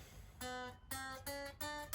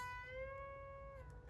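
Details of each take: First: Fender Squier Affinity guitar during setup: single notes fretted higher up the neck each buzz thinly, worse further down the neck due to slight neck bow; D and G saddles to be raised — fret buzz. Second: Fender Squier Affinity during setup, with new strings and levelled frets, bend-testing the B and E strings after action adjustment: a plucked note bends and rings clear without going dead or fretting out. Clean string bend.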